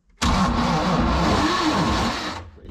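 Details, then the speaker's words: MerCruiser 7.4L 454 big-block V8 marine engine: heavy, labored cranking drone for about two seconds without firing. Voltage at the starter drops to 9 V, so the starter turns sluggishly; a bad flywheel spot is also noted. "yeah I'm going to 9 volts at the starter so this thing is not given me enough juice through it"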